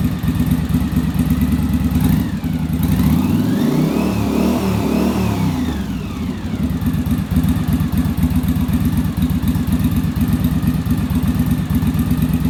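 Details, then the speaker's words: Yamaha Virago V-twin after bench and on-engine carburetor sync with manometer: even, steady idle and clean rev rising and falling smoothly, no hunting or stumble; carbs balanced. "and so we should be in pretty good shape now our idle's a lot smoother and then our acceleration i'll be a lot better because the carburetors aren't fighting each other"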